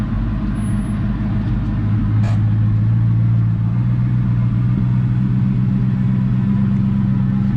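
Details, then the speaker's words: 2004 Mustang Mach 1 V8 with 60,000 miles, new fuel pump, air intake refitted after running very rough with it off: deep, even idle rumble, steady beat, no misses, knocks or ticks while heat cycling; normal idle. "all right i put a intake back on and it seems like to start perfectly"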